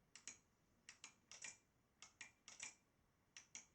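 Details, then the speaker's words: Model Racing Supershot arcade boardset: paired sharp lamp-relay clicks on target hits but no game sound from the speaker; the audio board supply reads under 1 V instead of 11 V. Blown audio supply. "But we cannot hear any audio effect from the speaker. So that will be the next thing to troubleshoot."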